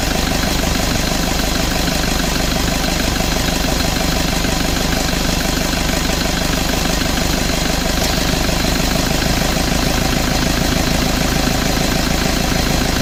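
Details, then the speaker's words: Toyota Vigo at idle with AC on, after evaporator, dryer and valve replacement, compressor oil change and bearing, system not flushed: steady, even idle, no compressor grinding or squeal; AC cycles on and off normally, cooling normal. "ความเย็นทำได้ปกตินะครับแอร์ตัดต่อปกติทุกอย่างก็แกเย็นพร้อมใช้พร้อมส่งงานครับ"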